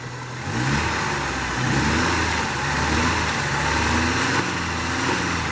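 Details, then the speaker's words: 1989 Ford Mustang 2.3 L inline-4 just restarted after 9 years: throttle blips make the revs stumble and sag unevenly, a misfire when the throttle is hit; smoke is WD40 burning off the washed engine; cause not identified. "oh that's all my WD40 I washed the engine off before I brought it up here does seem to have a misfire when you hit the throttle"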